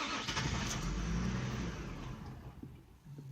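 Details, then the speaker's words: Infiniti I35 that previously would not idle: engine catches, runs unevenly, then sags and dies; starts then stalls, owner suspects low compression and doubts the crank sensor since it restarts. "it stalls again sound like got some low compression keep my foot on the pedal"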